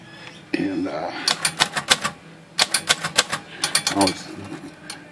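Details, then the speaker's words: Vintage Royal typewriter typing with uneven bursts of sharp clicks, about three a second, plus extra light taps: key tops set too high strike the lid after key-top height alignment; the fix is flexing the lid slightly upward. "tapping the lid here on these as far as you can hear it tapping the lid right there"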